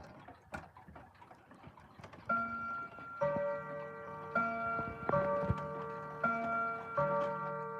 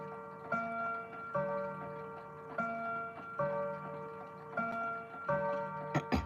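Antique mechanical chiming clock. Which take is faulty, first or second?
second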